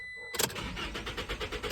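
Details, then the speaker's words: 2021 Toyota Tacoma: crank, no start, no spark. The crankshaft position sensor was replaced, then a bad transponder code appeared and the key was not recognized; the starter spins evenly but never fires. Fixed with a new key. "again nothing and then what I noticed and we were getting a code for a bad transponder seeing the bad the the transponder and the key wasn't working"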